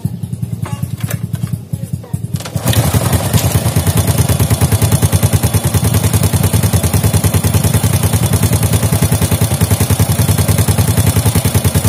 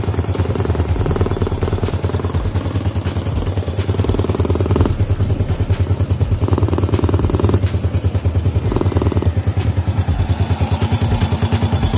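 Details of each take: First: Fit-X New motorcycle engine after worn chain tensioner causing rattling on throttle was addressed: brief start then even, steady beat of about 200 pulses a minute, smooth with no rattle; healthy normal idle. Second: Fit-X New motorcycle engine, first start after repairing a rocker (templar) that made it run rough. Idle thump with throttle blips bringing a sharp spitting note; leak at the exhaust port pops on revving; engine no longer rough.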